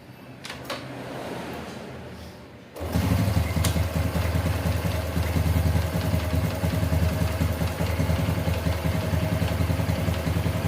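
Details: Honda Revo Fit FI single-cylinder motorcycle after an ECU reset for hard starting: a kick-start that catches after a few seconds and settles into a steady, even idle with no knocks or rattles.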